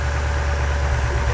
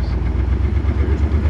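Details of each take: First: 1979 Chevy Nova LS swap, pulling one off to test: steady, deep, even exhaust note with no missed beats; now running on all eight cylinders. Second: 1979 Chevy Nova LS swap on its first half-mile drive, only the left (driver's) bank working: rough, lumpy loping V8 with uneven low pulse, definitely running on four cylinders and sounding bad.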